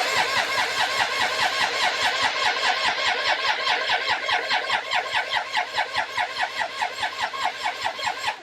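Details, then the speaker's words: 1999 Triumph Sprint ST 955, odometer around 52,621, tank nearly full, fuel pump heard running: steady starter cranking at about 97 pulses a minute, engine turns evenly but never catches. Ignition fault with no spark suspected, not confirmed. "on peut faire ça un définitivement rien ne parle une panne d'allumage on dirait qu'il y a pas de il y a rien qui fait une étincelle maintenant"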